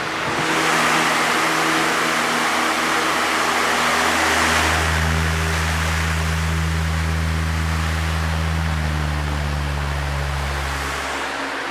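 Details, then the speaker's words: 1994 Lakewood HV18 fan: smooth steady motor hum with soft air rush, shifting cleanly from quiet low up to a higher even speed; good difference between speeds, running healthy. "what I really like about this one is the nice quiet low speed so that got very good uh difference in speeds"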